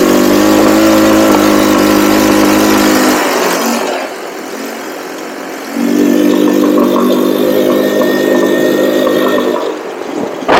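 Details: Cheap buggy's single-cylinder during carb tuning runs hard at full throttle, then drops off sharply for a couple of seconds before recovering; intermittent cutout, cause unconfirmed; owner will recheck the spark plug and suspects the CDI.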